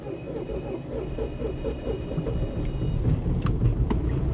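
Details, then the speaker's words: Bentley Flying Spur salvage car, cranking with throttle partly opened; engine catches with uneven chuffing about four beats per second, then sags and dies; owner suspects compression issue, unconfirmed. "there it is ah it started n it won't run it tries to start then it just"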